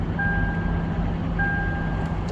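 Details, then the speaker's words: Lexus LX570 that previously would not crank or start, after fitting the repaired starter and solenoid switch: steady, even low rumble at idle without stumbles, a faint chime tone over it, engine running smoothly. "Start हो गया है।"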